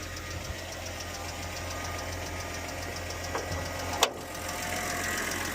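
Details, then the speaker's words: BMW after engine swap, 5W-30 oil, new VANOS solenoid, VANOS checked before install, no warning lights: light, quick, even top-end tick over a steady idle in time with the engine; cause not pinned down. "But I want you to listen this sound and tell me what do you think I need to do or where what direction I need to go to get this sound go away."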